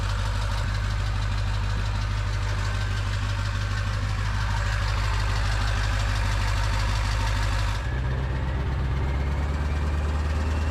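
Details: Ford 7.3 Powerstroke, just after first start with new KC turbo, plenums, up pipes, oil crossover and fuel bowl reseal: deep, steady drone, even heavy idle note settling after a slight shift. Owner says stronger, idle different, maybe oil crossover tube.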